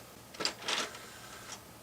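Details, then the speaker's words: Power Mac G5 optical drive ejecting the Age of Mythology disc, as it did with a previous disc: a quick whirr and plastic clack as the disc is pushed back out, then quiet; the drive rejects the disc for unknown reasons. "What? It kicked out this disc too. I wonder why that is."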